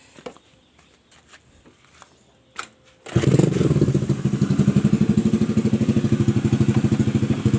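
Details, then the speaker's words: Honda Vario 110 scooter with engine dying and lost ignition, after replacing a non-original Fukuyama regulator-rectifier with the original one: a few quiet clicks, then it starts instantly into an even putter about three beats a second; normal start. "Nah, oke ya teman-teman, ini sepeda motor sepeda motor ini langsung hidup waktu saya ganti regulator ya, ganti kiprok."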